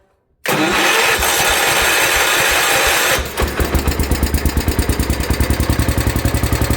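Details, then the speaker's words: Gravely 816 tractor with swapped Kohler KT19 engine, started after a long crank once a leaking fuel hose was replaced: fast, even chug settling into an idle that sits noticeably too high; tank still leaking. "Looks like I win. Got it idling really high."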